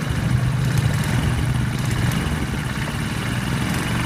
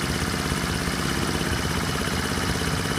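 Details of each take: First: Honda 50/70/90cc single just rebuilt and first started in a scooter, not everything bolted down: fast idle with a light, uneven tapping; owner suspects a loose bracket, unconfirmed. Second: Honda 50/70/90cc small engine after rebuild, fitted in a scooter, warm after about 15 minutes of riding: steady even idle with a faint quick tick about three per second, no knocks; normal healthy "sewing machine" idle.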